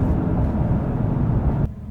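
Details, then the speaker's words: Chevrolet Silverado 1500 V8 after repair of a recurring cylinder 6 misfire with rough start and no power; smooth, even low rumble with no stumble; normal running. "so there you go purring like a kitten when you stop at a light with the radio going feels like it's not running at all feels like it shut off that's how how uh smoothly it runs"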